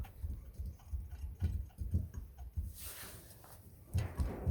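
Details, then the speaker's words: Mercedes W220 air strut top mount: dull, hollow, uneven thuds as the body is rocked, from its worn silent block (bushing); hammer-like banging from under the car while driving, fixed by replacing the bushing. "Ехать нереально. Тарабанит так, что кажется, что-то под машиной молотком тебе стучит."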